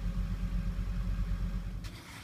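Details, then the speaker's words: 2001 Ford 7.3 Powerstroke diesel, hard start and rough running when cold; fully warmed with oil at 190°, about 9% IPR; even, low diesel rumble with steady beat, no stumbles or knocks: normal warm idle, before injector replacement. "as you can see it's running smooth and this is what I was saying as far as about 9% IPR with the oil temp now 190 being all warmed up and running smooth and that's what we want to see"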